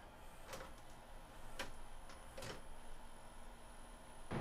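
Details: Magnavox ZV457MG9A DVD/VCR combo, after servicing the mode select switch and VCR mechanism and replacing capacitors, on a final VCR play test. A few soft mechanical clicks as the tape threads, then a quiet, even whir; the deck loads and plays normally.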